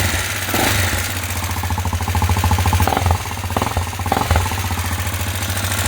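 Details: TT 250 motorcycle with a 166FMM engine, rebuilt after hitting a stump: uneven ticking knocks, roughly three a second, over a low idle; the engine is knocking again.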